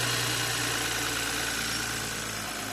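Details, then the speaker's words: 2020 BMW X5 after no-start repair with spark plugs torqued and coils installed: steady, even idle hum with no knocks, misses or grinding; engine runs smoothly and healthy. "There we go, guys. It is a cranking, running engine."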